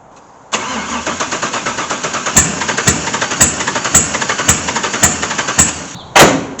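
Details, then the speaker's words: LS1 V8 swapped into a C3 Corvette, first start attempt after priming fuel: steady starter whir with sharp regular clicks nearly twice a second, never catching; cranks but won't fire. "we'll see all right we primed our fuel all right it's trying check look everything"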